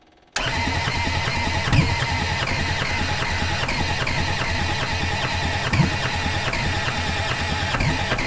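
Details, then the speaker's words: Old Kubota diesel skid steer on a snowy day around 20 degrees, coolant just topped up, cranked on 24 volts with a jumper pack: even rhythmic chug for several seconds, no catch; some smoke, and owner suspects clogged injectors. "i still don't think we're getting fuel down through the injectors and we've got fuel to the injectors but i think that the injectors themselves are still kind of stopped up"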